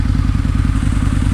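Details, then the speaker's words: 2003 Harley-Davidson Anniversary V-Rod, after valve lash adjustment (valves had been very loose): even, quick low-pitched idle pulses, no ticking or clatter; valve train much quieter and healthy. "sounds so much quieter now the valve train too they this was very much on the loose side"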